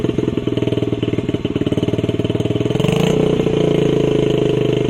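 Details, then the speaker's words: Honda CRF50 50cc single, choke on, after a part was clamped and tightened: blipped up, revs sag back slowly and hang high; owner suspected vacuum leak, still the same issue, to sort later; cause unconfirmed. "Still the same issue. So well, that'll be something to sort out next time after we get wheels on it, if we do."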